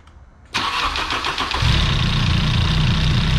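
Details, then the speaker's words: 1989 BMW M3 with original S14 engine started after valve cover, rear cylinder head cover panel and spark plug gasket replacement and sealing an intake manifold vacuum fitting: cranks briefly, catches at once, settles into a smooth even idle with no misses or tapping; normal. "last thing to do is fire it up and see how it runs"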